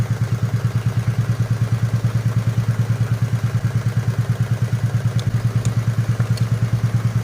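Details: Nissan Almera/March idling with a steady low pulse and uneven chug, engine shaking, check-engine light on; pulling the number 1 coil leaves it unchanged, pointing to a failed ignition coil causing a dead-cylinder misfire.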